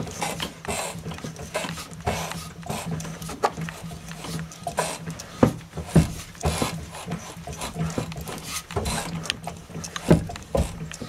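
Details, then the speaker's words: Renault Marine Couach RC6 engine turned slowly by hand in forward gear: odd hollow clunk every few seconds over scraping, every 10-20 degrees of rotation; inverter play fine, cause found to be axial play. "the crankshaft is hitting something don't get a grip on that there's no play between the crankshaft and the inverter"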